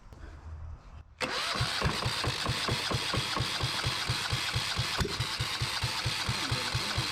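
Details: Yanmar 1GM single-cylinder marine diesel in a shop, with cooling water running through to flush the passages of calcified buildup: it catches and settles into an even thump near five beats a second, a steady, clean idle with no misses and not bouncing. Normal idle.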